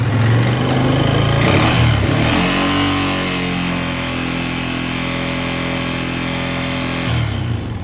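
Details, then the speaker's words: 2020 Honda Rubicon 520 ATV after being swamped, during valve adjustment at top dead center; revs up, holds, drops with a loud steady knock throughout; owner fears crank damage, cause not confirmed. "it's pretty loud"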